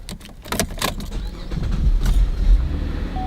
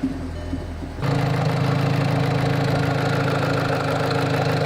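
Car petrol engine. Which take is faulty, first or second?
second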